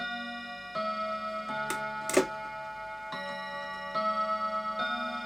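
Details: Old clock striking ten o'clock: clear, evenly ringing bell strikes about every three-quarters of a second with a steady tone, a normal hour strike.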